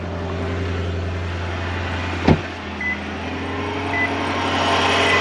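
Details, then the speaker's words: 2008 Lexus GS460 started after sitting 16 months: steady low hum with faint extra tones and a sharp click, heard at every start since; owner sure it is the accessory belt tensioner, not yet replaced. Belt noise at startup. "That's the belt, that's the tensioner for sure, because that wasn't there. Car was here for like 16 months, just not driving. Now every time I start the car up, I heard this sound."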